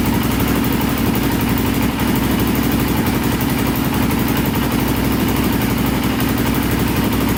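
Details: Polaris Predator 500cc quad, choked start after about 15–17 attempts following a compression/valve repair with a temporary skinnier flywheel key: loud, steady single-cylinder chug, even idle, no misses or knocks; fired right up and sounded good.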